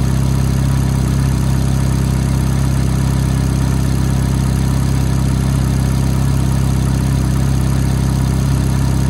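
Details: F430 V8 at cold-start idle: fast, light ticking of about three or four a second rides over the steady idle; cause not yet pinned down.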